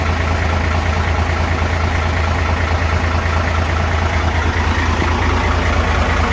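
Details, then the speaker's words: Hino FG8J truck, J08E six-cylinder diesel, 600,000 km with no valve adjustment ever, heard at the front before adjustment: a steady idle with light regular ticking. Intake clearance measured up to 0.50 vs 0.30 standard, exhaust up to 0.60 vs 0.45; clearance excessive. "เดี๋ยวเรามาฟังเสียงก่อนทำการตั้งวาล์วนะครับนี่คือเสียงด้านหน้านี่คือรถฟีโน่นะครับก่อนที่จะทำการตั้งวาล์วรอมาทำการเก็บเสียงก่อนนะครับ"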